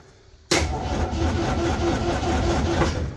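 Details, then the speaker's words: MGB, first crank after rewiring the ignition and starter solenoid to the key: steady, even starter churn with regular compression beats for about three seconds, engine turning over freely without catching; normal cranking. "Turn the key, and she starts. Or she cranks. Aha, there we go."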